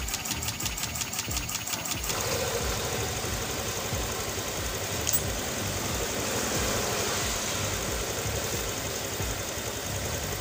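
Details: Honda Vario 125 FI (KZR) scooter, which had hard starting and would not idle, after engine rebuild: brief fast ticking at start-up, then a steady, even idle with no misses or knocking. Normal idle.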